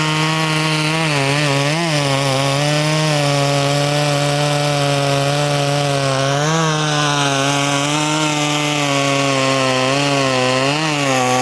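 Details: Poulan 2500 Farmhand saw (2900 equivalent), fitted with .325 chain replacing 3/8 low profile, cutting wood: strong steady high note dips briefly as the bar bites, running clean. Normal running under load.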